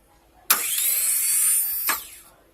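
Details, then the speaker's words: Starter bench test, starter wired directly to battery (positive to starter positive, negative to ground): a sharp snap, then an even high whir for about a second and a half ending in another snap; the starter spins freely, normal run. "And by doing that, we're going to be doing this. And the starter should start."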